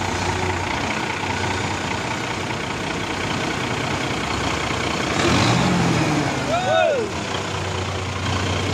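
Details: Mitsubishi 6M70 diesel with hard-start problem, after injection pressure pump was recentred on its timing mark; catches and settles into a steady even idle with no stumble or hunting, starts and runs normally.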